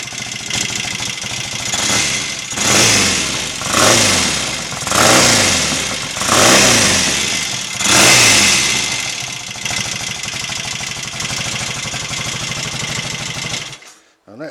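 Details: Royal Enfield Interceptor MK1 750 twin, which had kicked back and run on one cylinder, retuned (25 pilot jets, 380 mains, 106.5 needle jets, 3.5 slide cutaway, pilot screws about 1.5 turns out): clean quick throttle blips back to idle, no spitting or hesitation. Running well.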